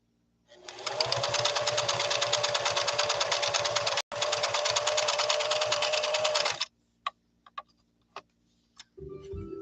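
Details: Singer Fashion Mate Model 362, sewing blind hem stitch: even, fast needle chatter at steady speed for about six seconds, smooth and regular with no catching or grinding; runs healthy.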